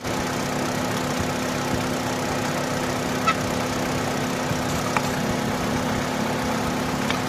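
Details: Opel (Vauxhall) that cranked but would not start: steady, even idle with a constant low hum and no knocks or stumbles; engine sounds healthy and settled, normal idle.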